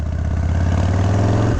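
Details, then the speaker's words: 1991 Harley-Davidson FXDB Sturgis V-twin, freshly tuned, ridden under power uphill: deep even thumping pulse, smooth with no misses, deceleration popping or backfiring through the carb; healthy engine. "Listen to that motor purr. Again, no deceleration, popping or backfiring through the carb. The hallmark of a freshly tuned, perfect motor."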